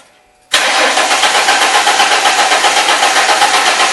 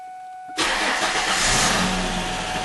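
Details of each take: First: 2002 Ford Mustang 3.8 L V6, crank no start: steady fast cranking about four beats a second that never fires; spark and injector pulse confirmed present, failed fuel pump not delivering fuel. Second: 2002 Mustang after repair of a crank-no-start: steady electric hum of the fuel pump buzzing, then the engine catches quickly and settles into an even, loud run.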